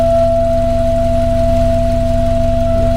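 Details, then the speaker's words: 1982 VW Westfalia with a Subaru engine swap, cold start, idling; a steady high-pitched hum over a soft, even idle thump. The electric fuel pump is noisy; a new, quieter pump was later fitted with a filter. "Everything seems to work. Cool. Okay, except for that fuel pump. That fuel pump is a noisy thing."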